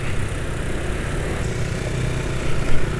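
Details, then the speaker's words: Scooter engine with fresh Ultraline 2T side oil used as engine oil: steady smooth low rumble, much smoother than before, when the old Rock Oil at about 120 km was rough and rpm dropped quickly; running normally. "yang jelas Suara mesinnya halus ya jauh lebih halus daripada kemarin ya karena kemarin olinya sudah waktunya ganti ya"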